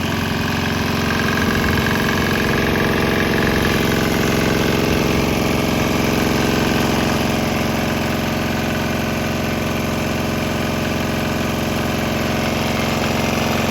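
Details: Swan X 165F Chinese diesel restarted on 100% used canola oil with about 10% diesel residue, walking across the lot: steady regular thudding, even pace, no misses; running smoothly.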